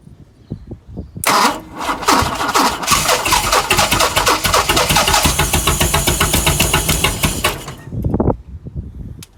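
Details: Chrysler CM Valiant, Hemi 265 six, after starter rebuild, starter wired via bypass switch, new fuel pump: starter spins engine at even cranking beat about six seconds, never fires; cranks, no start.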